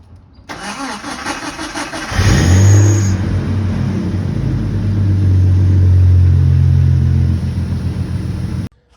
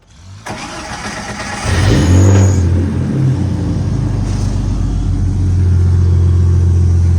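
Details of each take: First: 1988 Jeep Comanche with the 4.0L inline six, before starter replacement. Slow, labouring crank at about four turns per second for over a second before it catches and runs: the starter is failing. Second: 1988 Jeep Comanche, 4.0L inline-six, after replacing the starter: starter whirs briefly, engine catches fast and settles into steady, even idle with no grinding or misses; starts clean.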